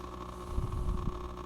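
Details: Oase BioMaster aquarium canister filter running: a steady pump hum with an uneven, low rattling knock from the impeller; cleaning the impeller and housing made it quiet again.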